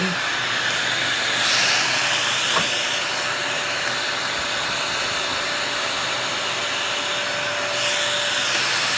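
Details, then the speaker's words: Dyson DC40 upright vacuum, after the broken hose was repaired, running with a small tool fitted: strong, steady airy rush with an even motor whine and no surging; really good suction. "you can swap it out so you just put the small lunch in there really good suction"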